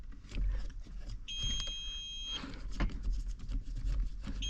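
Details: Tractor cab with the blower fans being checked for power and the relay diagram unreadable; a dual-rate flasher has been found. A steady high warning tone of about a second stops, then restarts over a low rumble. The alarm's cause is unknown.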